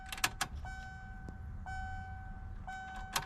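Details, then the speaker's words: 2.5 RS Subaru Impreza coupe (GC8) before first start: steady high electric hum near 750 Hz, about a second each time between key clicks, as the fuel pump primes normally. "uh you hear that it's my [ __ ] fuel pump [Music] oh she's priming it up for me"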